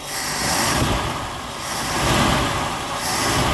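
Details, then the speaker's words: Buick Skylark with a freshly rebuilt carburetor, fed from a gas can because of 30-year-old tank gas and leaking fuel lines, oil light earlier on: loose, surging swells settle into a steady idle without knocks or misses. The lifters are quieting down; normal idle. "sounds good doesn't it all right quieting down it's actually idling"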